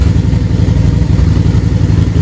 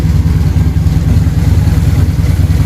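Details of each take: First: Harley-Davidson V-twin with the air box off: deep, lumpy idle with an uneven, loping beat because one carburetor is running harder than the other. The carbs are slightly out of sync and need adjusting. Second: Probably a Harley-Davidson V-twin idling after carburetor synchronization, with the idle turned down and the air box off: deep, even, lumpy beat with no misses or surging, and the carbs sound well balanced. Normal, healthy idle despite slight popping.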